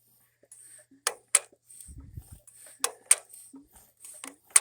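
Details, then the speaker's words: Nearly 100-year-old Standard Monarch tractor, seized crank just freed, being hand-cranked through full rotation: sharp metallic snaps, often in pairs, between quiet turns are the magneto impulse coupling tripping normally. The owner expects no spark yet. "I am very happy now it turns all the way over and you guys hear that clicking that's the impulse in our mag"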